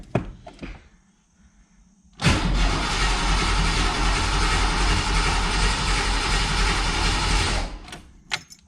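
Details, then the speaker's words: Ford with TFI distributor, crank no start: starter spins the engine steadily for about five seconds with even churning rhythm but it never catches; fuel pump primes normally and spark was present at the distributor, so distributor is being pulled next. "still no start just like before so i guess it's time to get out the distributor wrench and get that thing out"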